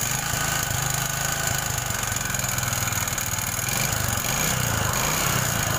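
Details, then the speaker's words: Honda Supra 125 engine at idle before teardown of block and head: harsh clattery rattle throughout, like a tractor or nail factory, louder when hot; rough mechanical engine noise, cause not yet pinned down. "ini kalau mesin panas suaranya lebih kasar lagi mas bro Oke sekarang kita matikan Nah jadi suara mesinnya ya seperti itu mas bro semacam seperti suara jetor atau pabrik paku"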